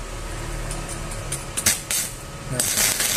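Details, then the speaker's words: Lakoni 120E MMA stick welder that had a weak arc, after replacing the potentiometer and resoldering the current-control PCB, 54 V output, maximum current: continuous arc hiss with sharp crackling spits; strong, healthy arc, sound differs from before. "Apinya sangat besar teman. Bunyinya pun beda ya. Saat ampere maksimal sama yang tadi, bunyinya sampai kercek gitu ya."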